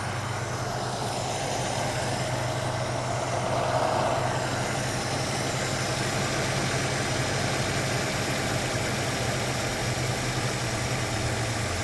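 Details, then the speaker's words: Ford Capri Mk I 3000 GT XLR 3-litre, carburettor tune-up on the other side: idle revs drop immediately as mixture screw is adjusted too weak; lean mixture, less petrol for the air. "And again, you can hear the revs drop immediately because it's too weak again."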